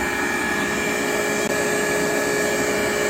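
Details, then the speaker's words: Rebuilt KICE waterfall aspirator, model 6DT4-1, on single-phase 110 V: a steady, even fan roar with a constant high whine and no knocking, rubbing or surging; normal running. "the footer is humming right along there are no irregular noises again this is powered by single phase 110."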